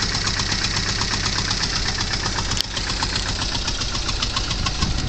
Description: Porsche 924 has very hard starts and will only run briefly, trying to diagnose the cause